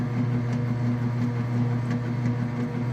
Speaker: Okay, you can hear it agitating.